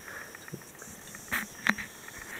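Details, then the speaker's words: Dell Precision M3800 laptop with SSD, plugged into AC, booting to BitLocker prompt: faint high scratchy crackle with sharp pops near power adapter plug; stops when unplugged, pitch varies with screen brightness, occurs when SSD accessed. "just turned it on, and you can hear the crackling sound while the system is waiting for a BitLocker key. It's coming from here. The sound goes away if I unplug it."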